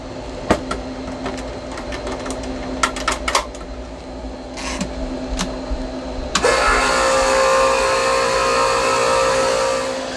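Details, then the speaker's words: Outer Reef yacht fuel transfer system pump switched on with valves to and from pump and tank open; a few clicks, then a steady, even hum and whir holding constant. Normal pump operation. "I'm going to turn on the pump so you can hear the pump come on and listen to how it sounds."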